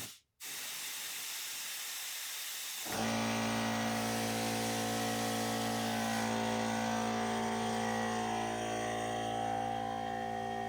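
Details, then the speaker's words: 1977 AMC Matador not drawing fuel despite added gas: air blown back through the tank fuel line gives a steady hiss with no bubbling or gurgle; owner suspects the pickup tube may be broken apart in the tank. "So, sounds like straight air. Why doesn't it sound like bubbling?"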